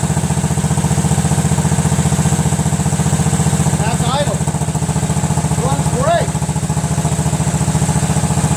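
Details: Cub Cadet tractor, 13 hp Kohler Command CH13 twin, after cleaning carburetor, fixing needle and replacing doubled gaskets that caused an air leak: strong, even low putter at steady speed with no stumbles or surging; normal running.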